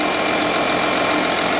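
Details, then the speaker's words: 2013 Audi Q7 TDI after a new alternator for a battery light and no-crank fault, charging 14.2 V at about 10 A at idle on a weak battery: steady, even idle with no knocks, ticks or squeals; normal idle. "yeah and you know what it started right up i guess uh the battery is weak but charging it during the repair brought it back to light"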